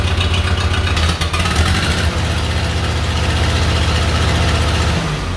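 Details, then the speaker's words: Case 311B tractor after carburetor cleaning and rebuild, fuel on, in neutral, started at full choke and full throttle: engine catches and settles into a strong, steady low thrum, starting and running cleanly. "sounds pretty good to me there you go thanks for watching"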